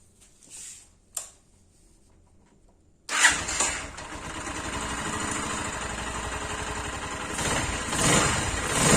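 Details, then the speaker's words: Zanella ZR 150 pushrod single after swapping its damaged original exhaust for a Honda XR 150 silencer: silence, then fires up and settles into a subdued, even idle with soft exhaust note, valvetrain noise now audible; normal idle. "Bueno, realmente el cambio es notorio, porque si no se escucha muchísimo más fuerte con el escape original. Ahora en realidad empezamos a escuchar el ruido de estos motores varilleros, que se escucha más. Pero bueno, realmente quedó muy silenciosa."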